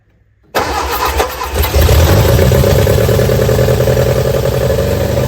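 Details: Barn-find Austin-Healey Sprite on jump pack, cold start with choke and throttle worked by hand: after a moment of silence it catches and runs lumpy and uneven, beat wandering as it struggles; rough running on cold start.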